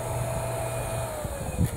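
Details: Meyer water pump, about 1.5 hp, after repairing the broken cover over the centrifugal switch, previously vibrated and hummed without starting: steady even low hum with no knocks; pump motor runs normally.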